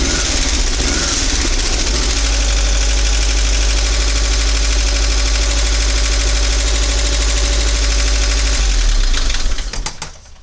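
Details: 1985 VW Vanagon Westfalia 1.9 L Wasserboxer at cold idle before engine pull: busy clattering tick about three per second over a low rumble, then shut off; owner suspects the heads, from little running and not being warm. Valvetrain clatter.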